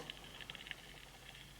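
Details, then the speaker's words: SatLink WS6906 satellite finder power switch flicked while connected across a contact-testing meter: faint irregular high crackling ticks over quiet hiss; intermittent switch with dirty contacts. "but if you can hear that Hing that means that the contacts are dirty there's not a good H"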